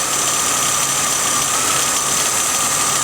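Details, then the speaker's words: 1996 Buick Ciera at idle after replacing its failed oil pressure switch: a steady high whine with hiss. The harmonic balancer pulley jumps less than before, and a bearing is suspected. "earlier but I'm getting a a bearing sound so that's 29 from Dorman"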